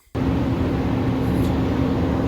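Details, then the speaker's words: Nissan Titan truck just after installing a new Nissan thermal fan clutch, cold start, running about 15 seconds, held at 2000 rpm: loud, steady whooshing fan roar; clutch engaged at cold start, as expected. "okay so i have the nissan fan clutch in there now and i've just started the truck it's been running for about 15 seconds here and i have it at 2000 just uh speed up the disengagement"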